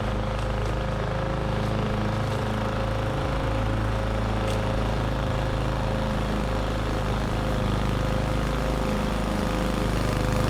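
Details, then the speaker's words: Roadside-found lawn mower, model 11A-B2M7031, after draining and cleaning the carburetor for bad fuel: starts first pull, steady, even, fairly quiet drone with no misses or surging while mulching; normal running. "no issues to report it started first pull and had absolutely no issues mulching the lawn"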